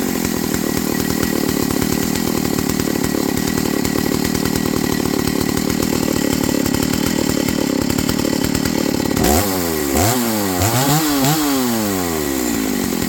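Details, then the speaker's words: Stihl MS290 Farm Boss chainsaw after drive sprocket replacement: holds a steady high rev, then blips smoothly with the chain spinning freely, no binding; previously bound up by the worn sprocket, now running right. "does yeah that's way better before the chain wouldn't even rotate by itself it was so tight and bound up in that wore out sprocket"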